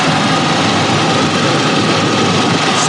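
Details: Roadtrek camper van started after return from transmission rebuild: engine settles into a steady, even idle without stumbles, knocks or rattles; sounds healthy.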